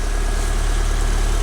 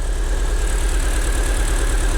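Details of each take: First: Long-abandoned, crash-damaged Fiat Punto Abarth at warm-up idle after revival, fluid levels not yet checked. Smooth, even low hum with no tapping or stumbling; it runs very well. Normal idle. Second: Crash-damaged Fiat Punto Abarth, started after hammer taps. Deep, lumpy idle with an uneven pulse and stumbling beats right after starting; a clacking noise is noted afterwards. Rough idle, cause unknown.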